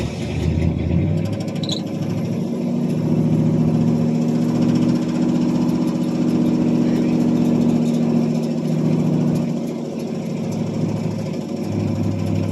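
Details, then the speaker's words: 1978 Pontiac Bonneville 301 V8, cold start after sitting about two months, single-chamber muffler and no cat: the idle beats low and uneven, swelling and sagging as if about to stall. The owner suspects a plugged carburetor idle circuit, since it won't idle once the choke comes off. "so there it is old 301 is she going to stay running for me H she's struggling"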